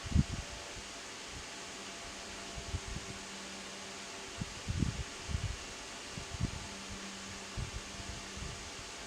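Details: Lakewood HV-9G fan, about 12–13 years old, on low speed: soft steady low hum with some handling bumps; motor runs smooth and normal.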